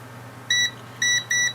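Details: Three clean high continuity beeps, each about a sixth of a second, as the button is pressed on a Jaguar S-Type (X202) remote key fob whose click keys felt dead; the meter shows the fob switch closing properly.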